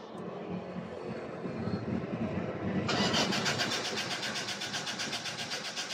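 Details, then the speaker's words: 1994 Toyota Corolla small body with a hard-start complaint, after fuel pump replacement: slow, lazy cranking for about three seconds while the new pump fills the fuel line, then it catches and settles into an even, stable idle; a normal start once fuel arrives. "yan so umandar na siya So pagka naging stable na Papatayin natin titingan natin kung magwa-one click na siya an guys so nag stable na yung RPM niya"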